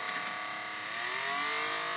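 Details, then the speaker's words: Wii disc drive: a harsh, hissy grinding buzz with a whine rising as the disc spins up, caused by the white plastic spindle rubbing its arm. The fix is loosening the spindle magnet's two screws and shifting it. "weed drive, grinding, buzzing, whatever you want to call that. I'll demonstrate real quick. Horrible grinding."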